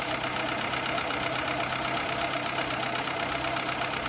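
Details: 2003 Citroën C3 petrol engine, bought four months earlier, that neither overheats nor uses oil, idling steadily with a light tick of two to three a second from the top end; cause unconfirmed.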